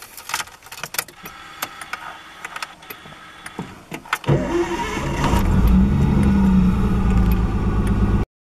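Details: Nissan 240SX with RB20DET, first start in 14 months after exhaust manifold stud repair and new battery: clicks, then cranks, catches and settles into an even rising idle; timing and TPS still to be adjusted.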